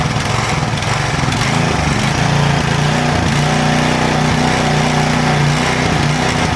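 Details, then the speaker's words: Power Trim edger, nearly new but left sitting, with a small single-cylinder engine. It keeps revving up and dropping back without settling: governor hunting. The owner suspects the Pulsa Jet carburetor needs cleaning, with an oil change and carb kit planned. "I call that hunting so it just needs the carburetor clean and because what it does is like when it revs up it had just closed down the throttle to suck more fuel in and it just keeps going back and forth back and forth"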